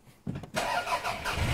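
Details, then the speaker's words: Poorly four-cylinder car engine started for an on-car brake booster vacuum test: starter whirs, engine catches and settles into lumpy, uneven idle on three cylinders; dead-cylinder misfire. "this is a poorly engine. Ooh, three cylinders. It's supposed to have four, by the way."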